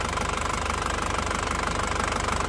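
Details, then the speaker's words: 2003 Panther Touring turbo diesel (in use from 2004), seals intact, no oil leaks. Even, rapid clatter at idle with a steady beat and no misses or heavy knocks; characteristic and smooth ("pulen"), normal diesel idle. "Suara mesinnya masih sangat ciri khas, masih pulen ya, masih pulen banget."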